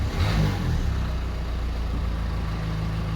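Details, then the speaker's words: Renault Twingo idling after an exhaust fix, recorded inside the car with the bonnet open: brief blip then steady smooth low idle with no more tic-tic ticking; sounds normal. "donc voilà ça fait un bruit de voiture normale il n'y a plus un bruit tic tic tic tic"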